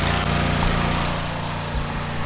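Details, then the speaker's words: Cub Cadet 1641 lawn tractor on fresh fuel with the choke on: a steady, even drone with no stumbling or surging, running normally. The idle seems low, and the carburetor may need adjusting. "It sounds better to me. It seemed like it should idle up higher."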